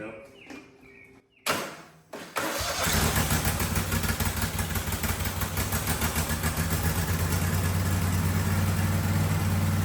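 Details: Husqvarna 2554 riding mower V-twin after new fuel filter, first key start: few clicks, cranks and catches, steady even idle about three firing pulses a second; slightly smoky, possibly from sitting; normal idle.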